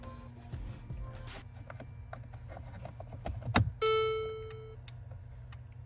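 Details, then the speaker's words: Mercedes electronic steering lock, key inserted, microphone under the steering column: faint, uneven relay-like ticking means the lock has failed and is completely locked, so the car won't power on or start. "hear that clicking sounds like a relay so that is a faulty steering lock"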